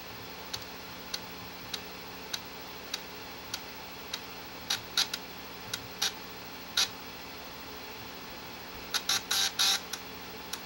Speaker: ainsi vous croyez que votre lecteur de disquettes fait du bruit écouter eu celui ci